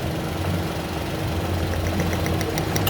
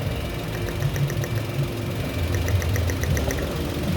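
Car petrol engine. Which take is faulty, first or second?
second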